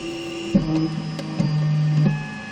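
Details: One-month-old Zortrax M200 3D printer, cold: a motor hums in shifting tones with brief scratchy clicks each time the Z axis moves. The sound is louder on firmware v0.0.7 and disappears once the printer is warm.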